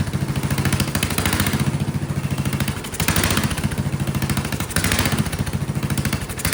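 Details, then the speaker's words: Vintage Kohler motorhome generator, big flathead engine (guessed 400–500 cc), first start on gravity-fed carburetor with choke shut: loud thumping single whose speed swells and sags every couple of seconds, surging violently; owner suspects dirty carburetor jets or poor fuel delivery. "Okay, so it probably still has carburetor problems because it's surging. But it ran. Boy, ran quite violently."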